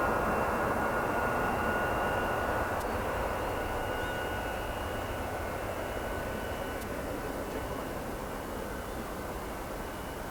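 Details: Boeing 707-358C 9Q-CVG (Pratt & Whitney JT3D-3B engines) taking off from Oostende runway 08, late 1996, after an earlier aborted attempt with compressor stall; loud steady roar and high whistle fading as it climbs; normal takeoff.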